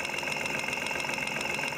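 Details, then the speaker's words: Fuel injector heard through a mechanic's stethoscope with the engine running: quick, even ticking, showing the injector gets its signal, though not proving fuel flow. Normal. "yeah I can hear it ticking that doesn't mean the fuels flowing through it but at least it's ticking I know I'm getting a signal to it"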